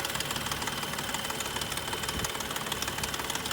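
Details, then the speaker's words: BMW M235i, about 52°F sunny day, engine idling: sharp, loud ticking about two per second over even idle, growing louder as it runs, louder than the owner's previous 135i and 335xi; owner unsure if normal, cause unknown. "this ticking noise is just crazy loud it feels like especially when you're next to like a house or something like that it's just so loud"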